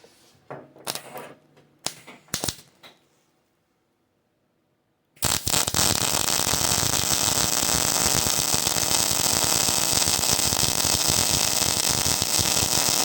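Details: Hobart Ironman 240 MIG welder, welding on the table with ground C-clamped to table: a few light clicks, pause, then harsh crackle and brief spitting at arc start before steadying; caused by poor ground, not the wire run-in feature.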